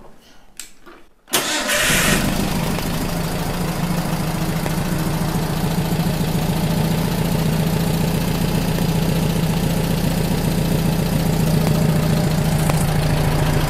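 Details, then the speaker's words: VW Type 1 40hp air-cooled flat-four after a rebuild: the oil cooler was replaced to cure a recurring problem and the valves were readjusted. It catches after a brief crank and settles into a steady, smooth, even idle. Normal idle. "we readjusted the valves everything looked good and uh it's running pretty good"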